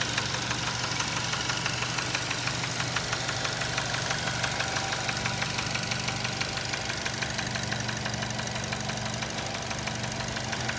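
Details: 2007 Nissan Tiida 1.6 engine with automatic transmission, at idle: a sharp, even metallic knock about three times a second, continuous. A genuine internal engine knock, judged beyond saving; the engine was replaced with a used contract unit.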